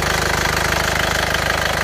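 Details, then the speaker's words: Isuzu Panther pickup diesel after engine repair for compression blow-by and heavy smoke, warm: even clatter about thirty pulses a second, steady and smooth, no longer heavy smoke. Normal idle. "ini suaranya seperti ini. tetap halus rata. Oke, sudah sembuh ya."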